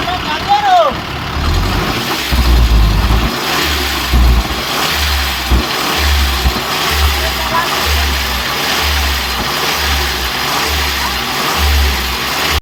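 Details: Tata truck diesel running with a heavy, low pulsing throb about twice a second over the idle; abnormal engine noise, cause unknown.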